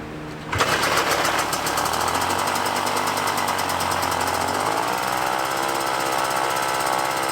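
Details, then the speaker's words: Puch Maxi moped, 50cc two-stroke, being tuned: catches and runs buzzy with pitch shift, runs only on choke and dies when choke is pulled off; air leak between carb and intake. "this thing starts right up and it runs a hundred percent totally fine as long as the choke is on as soon as I pull the choke off it dies"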